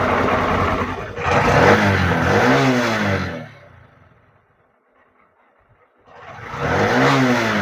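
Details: Honda Shine SP 125 BS6 motorcycle after wiring repair and ignition key lock replacement fixing a self-start problem, fuel pump running: engine catches and revs cleanly with a smooth rising and falling note, drops quiet, revs again; runs healthy.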